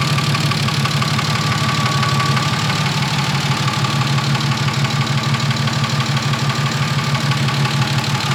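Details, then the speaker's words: BMW E36 with freshly built engine, first start-up, warming toward operating temperature: light, even ticking about three times a second over a steady idle, believed to be one lifter that hasn't bled out; lifter tapping. "Yeah, it's gotta be just one lifter that hasn't bled out. It's just really loud, bouncing up and down."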